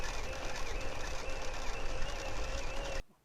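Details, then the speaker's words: 1987 Gazelle bike with a Sturmey Archer 5-speed hub, test ride in forward pedalling: worn bottle dynamo gives a steady high whine over a continuous rattle and weak light; it sounds better turning in reverse. To be replaced with a rebuilt Basta dynamo. "As you can hear in this test ride the dynamo is rattling, and also whining a lot."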